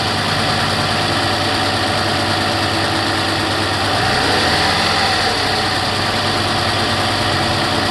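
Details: 2008 Toyota RAV4 V6 at cold startup idle: light, quick ticking, roughly three a second, over the steady engine hum, slowly increasing in volume.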